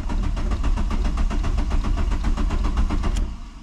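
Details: VW Mk2 Jetta after sitting about 5.5 months, new coolant hoses, battery fading: steady rapid starter churning for about three seconds with no catch, then drops off; long crank, no start, owner thinks fuel needs to prime.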